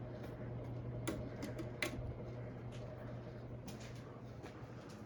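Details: Hampton Bay Gazebo Plus 52-inch ceiling fan, copper patina, early-to-mid-2000s model: steady low hum with faint irregular light ticks, recorded close to the running fan; owner calls it some bearing noise, doubts dry bearings, cause unconfirmed.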